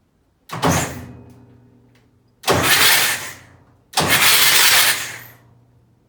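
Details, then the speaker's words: Junkyard Massey Ferguson 1155 tractor engine, long parked, cranked on two batteries with injectors out: three fast even cranking bursts, no binding, oil shooting from the injector holes; engine rolls over freely. "all right well there's some good news that thing rolls over pretty good they're shooting all the oil out so hey that's a step in the right direction"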